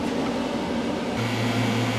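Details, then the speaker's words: CPS AC FX3030 AC recovery machine on an R1234YF car, after power-on pressure check: steady low hum of its large vacuum pump kicks in halfway over the machine's hiss and holds even, before expelling gases and automatic purge; pump starting normally. "Now you hear that? The pump comes on. Yeah. This has a big ass pump."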